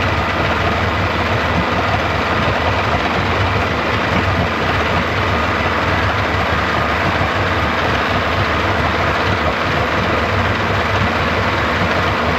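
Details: 1995 Yamaha 75hp two-stroke outboard in a test tub after water pump replacement, warming up: steady, even constant low rumble with no knocks or surges; normal idle.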